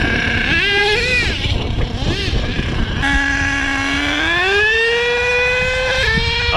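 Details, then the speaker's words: HPI Savage XL nitro monster truck (K5.9 or X4.6) after low-speed needle tuning, slightly rich at quarter throttle: high-pitched engine winds up, pitch drops sharply and climbs again as the multi-speed transmission shifts into second; normal gear shifting. "Oh, yep, I heard the 2-speed. Slight rich adjustment there and quarter throttle, it's good. 2-speed, baby."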